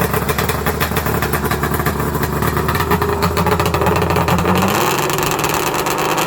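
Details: 1994 Arctic Cat Thundercat, rebuilt 1050cc Hooper big-bore two-stroke triple drag build, warm after one heat cycle: crisp buzzing idle then pitch rises cleanly when revved, no stumble or rattle; sounds gnarly and healthy.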